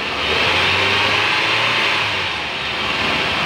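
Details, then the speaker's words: Nissan X-Trail engine revved after replacing the noisy alternator pulley: revs up and settles smoothly, no chirp, rattle or whirr from the front drive; noise gone, normal. "So yun guys, wala nang ingay. Nissan X-Trail."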